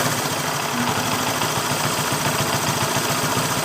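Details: Motorcycle with manual timing chain tensioner: steady idle with a light, uneven ticking knock around three or four per second from the top end, typical of a slack cam chain tensioner.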